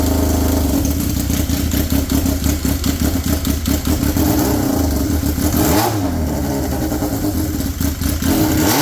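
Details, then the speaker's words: Polaris RZR XP with swapped Yamaha Nytro triple, straight-piped with no muffler: loud raspy burble, blipping and settling on a busy idle; runs evenly, not overly loud, sounds healthy. "I kind of like the sound of it you know it's not super loud being straight piped it sounds awesome yes it does"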